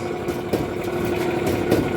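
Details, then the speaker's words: Alliance/Speed Queen commercial dryer running with a loud uneven rumble, scraping metal rub and thumps about every second, also not heating properly; damaged drum idler pulley and worn drum bearing slide kit, both replaced to cure the noise. "you can understand it is very bad noise from the machine"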